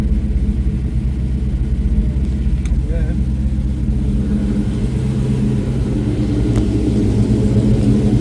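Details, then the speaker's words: 7.3 Godzilla V8 engine swap, first start after an ECU hardware update, TPS auto-set and a calibrated throttle body: deep, steady rumble, even and strong with no knocks or misses, normal running. "How good did that sound?"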